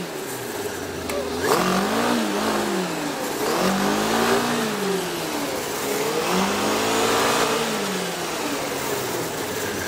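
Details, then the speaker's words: 2003 Yamaha RX-1 snowmobile, stored a couple of years with dirty carbs, revved in three smooth sweeps: no rod knock or unusual engine noise. There is only a light clutch rattle near idle, typical of RX-1s. "so i will show you that it runs doesn't have any rod knocks or noises in the motor unusual"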